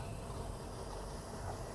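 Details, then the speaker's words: 1978 Skipjack 20 boat, inboard engine idling; low, even rumble with a steady beat and no knocks or misses, running perfectly. "Idle start. That's what she's supposed to sound like. Running perfectly."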